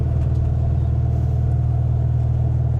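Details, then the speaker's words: Car just started after sitting about a month, fresh out of the shop. Low, even air-cooled thrum at idle with a steady beat and no misses or knocks; it sounds smooth, a healthy idle. "Oh, starts up like a dream. >> Just needs a little love after it sat for a month or so. Sounds good, eh? >> It does sound good."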